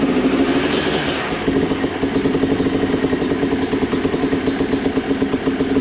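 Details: Freshly total-rebuilt Yamaha YZ250 two-stroke with a new air filter, getting its first heat cycles before the customer picks it up. Crisp, even crackle at a steady fast idle, no knocks or rattles. Normal two-stroke running.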